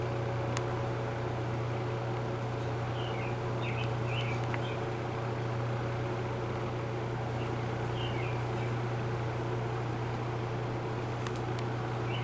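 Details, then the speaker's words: Old GE 20-inch metal-bladed box fan, model F17W12, running in a closed room with imperfect blade balance: steady, very quiet low hum with a smooth, constant airflow rush, no rattles or scraping. Normal running. "I'm sure it would blow a whole lot more air if I had the door open but this is very quiet"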